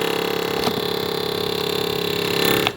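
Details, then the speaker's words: Rare vintage Yamaha Phaser motorcycle with a redone fuel pump, carbs working well and a new radiator, on choke: a steady high whir with fast, even ticking runs a few seconds then cuts off; owner finds the fuel pump loud and is unsure it's normal. "The fuel pump was redone, but it sounds pretty loud. So we come here, we can pull the choke out. Is the fuel pump supposed to be"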